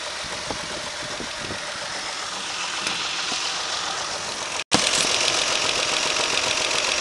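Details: Idling car engine with a light, fairly regular knock of about three to four raps a second over hiss; the knock is pronounced with one injector unplugged and lessens when it is plugged back in, and no other cylinder does this.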